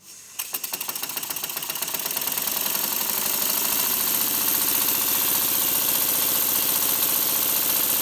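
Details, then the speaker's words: Model steam engine on compressed air, fed through the steam chest, after the slide valve fix and full oiling: puffs rise quickly into a fast, steady, even beat with no knocks, much smoother, faster and quieter. "the difference is astounding the engine runs much smoother much faster more evenly and it's quiet when I lift up my soundboard it's not noisy at all"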